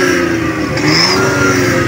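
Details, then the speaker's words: Minivan after broken exhaust pipe to muffler was reattached and acetylene welded, revving: engine revs up smoothly with full, even exhaust note, no rasp, hiss or ticking; normal exhaust note while revving. "At ngayon paandarin natin to at pakinggan natin after natin na ikabit at na-full wheel natin ng acetylene mga boss, okay?"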